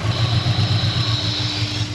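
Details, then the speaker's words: Honda S2000 after head gasket and head bolt replacement, first start at idle: rough, uneven idle with a faint hiss that comes and goes; owner suspects a vacuum leak; later found an injector seal problem. "not 100% sure what that sound is it sounds like a vacuum leak but it also goes away which uh makes me a little nervous so I got to figure that out"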